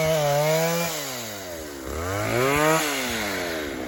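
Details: Vintage 1960s Stihl 08S chainsaw, about 60 cc, cutting firewood logs into 4-foot chunks: crisp two-stroke buzz rising and falling evenly with throttle, pulling down cleanly in the cut; normal running under load.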